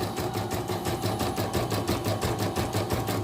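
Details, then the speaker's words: Embroidery machine (bordir) after repair with a new-model dynamo (motor): runs neatly, sound calm and quiet, pull smooth and slow with no stuttering; even, quick stitching rhythm about three beats a second, steady with no hesitation. Normal running. "kalau untuk dari segi jalannya sudah rapi kan suaranya jug sudah kalem ini juga enggak tersendat-sendat ya jadi"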